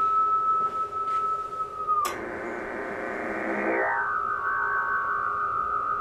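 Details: Basic JFET Hartley oscillator (VFO) built with a J310 JFET: a steady RF tone jumps when the coil is tapped with a Sharpie, then wavers and slowly settles. The coil is microphonic and extremely vibration-sensitive.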